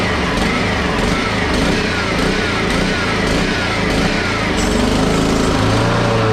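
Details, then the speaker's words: Honda HRX217 lawn mower engine pulled over after working on the carb and air filter gaskets: runs unevenly and surges with a ragged, wavering beat instead of a smooth buzz; rough running from carb problems. "so so obviously there's a few cart problems but the wheels do work based on the front video or the video before this so i'm always happy with that this isn't a car cleaning video by any means so i'm just going to work on the car a little more stuff have it stop surging"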